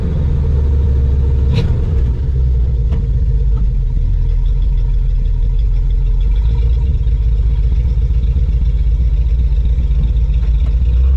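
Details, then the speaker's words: 1987 GMC Suburban V8 with newly installed Evil Energy carburetor, one-chamber Flowmaster mufflers, AC cycling on and off: deep, steady even idle, no misses, knocks or hiss; idles down nicely, healthy. "Pretty good idle, I think. AC kicking on and off. Not crazy about these one chamber flow masters. Idles down nice."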